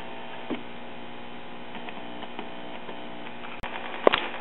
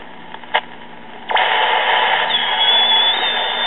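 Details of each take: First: 1939 Emerson 5-tube AM portable battery tube radio on first test, before repair: steady low hum with no station audio or static, as the primary winding of the first IF transformer is open. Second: 1939 Emerson 5-tube battery AM portable tube radio: transistor AM set tuned near 700 kc beside the chassis, hiss jumps to loud rush with faint whistle when tuning across the band, showing the local oscillator is working; first IF transformer primary was open, temporarily replaced.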